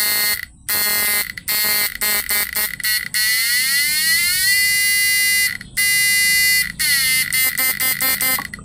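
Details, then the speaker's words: PDC 4-FET stun inverter under load test, standard mode: loud high buzz in rapid pulses, pitch sliding up then holding, from the air-core inductor coil fitted with a buzzer; normal buzzing under load. "Ini di gulungan induktor inti udara ini udah ada buzzernya ya, jadi suaranya kencang"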